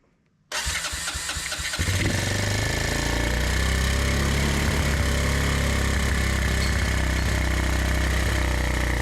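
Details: Honda ATC 125M three-wheeler (second generation, revived after sitting abandoned), fresh fuel filter and carb slide checked: brief crank, then it catches and settles into a steady, even single-cylinder idle with no misses or knocks; starts and runs healthy.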